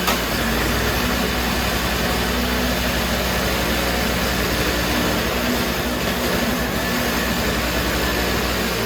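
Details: Toro CCR3000GTS single-stage snowblower (5 hp Suzuki engine, 20-inch cut) started with choke and primer after fuel stabilizer is added for summer storage: even, steady drone with no misses, hunting or knocks. It runs healthy.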